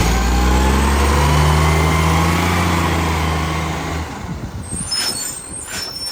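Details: 2010 Tea Tree Gully garbage truck, diesel, pulling away: deep drone with steady puffing pulse about four times a second, fading; loud exhaust puffing from the exhaust leak.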